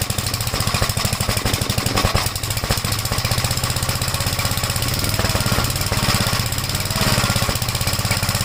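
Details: 1956 Gravely Model L single-cylinder, after choke start with throttle lowered: fast, uneven thumping with pops and stumbles. Oil-fouled plug and smoke at start; top-end/valve trouble suspected; rough running with popping.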